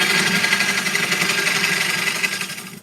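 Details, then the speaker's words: Gouge cutting a walnut bowl on a lathe where the wall starts to curve in: steady high scraping hiss with an irregular ticking catch each turn as the tool probably hits a crack, then cutting stops. "That's probably what I was hitting. You can almost hear it as you're turning. You can hear where they are."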